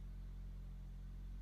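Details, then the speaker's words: 2004 Toyota Matrix, restarted after the owner fixed the fault behind its no-start: a smooth, steady low idle rumble with no misses, knocks or surges. Good start and normal idle. "let's crank it back up again oh we got a good start folks"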